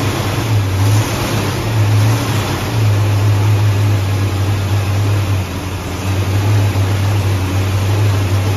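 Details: Carbureted V8 Ford Mustang at first-start session, idle turned up after rough starts; the cause found was an air leak under a 1-inch carb spacer with the wrong gasket: steady low rumble holding an even idle with no hiss, stumble or hunting; normal idle.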